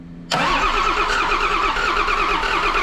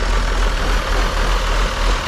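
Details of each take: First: John Deere 6068T PowerTech diesel, stored four or five years: steady starter churning about four seconds with no firing; air in the fuel system suspected. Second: Auction-bought John Deere diesel engine, gravity-fed from a funnel: deep, steady diesel rumble idling smoothly after air in the fuel cleared; remaining issues are air pockets and the makeshift fuel setup.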